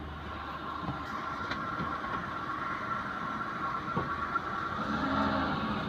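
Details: Maruti 800 driven through a turn after the damaged left-side axle, with broken boot, was replaced by a second-hand axle: soft road rumble and engine hum, no rhythmic clicking from the front; CV axle now normal.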